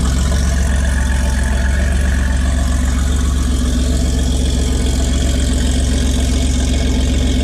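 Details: 1981 Porsche 930, mostly stock with a few mods and an aftermarket exhaust, cold start: deep, even idle with a steady low beat of about two and a half pulses a second and no misses or knocks; healthy.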